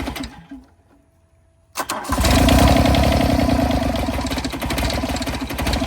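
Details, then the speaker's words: 1986 John Deere 330 diesel garden tractor, cold, no glow plugs, throttle low, one injector unbled: cranks briefly, then fires and settles into a rough, uneven run with a lumpy beat. "Come on, baby. And there's no glow plugs either. So It wants heat."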